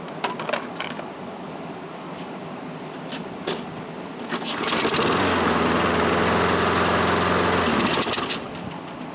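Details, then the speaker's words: Toro Recycler self-propelled mower, about 2010, auto-choke carburetor, no-start fixed after a loose spark plug was tightened and gapped to 0.030 in: catches on the pull and settles into a steady, even single-cylinder drone, running properly. "enough for me so seems to run okay"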